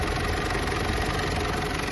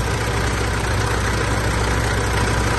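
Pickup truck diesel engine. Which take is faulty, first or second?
second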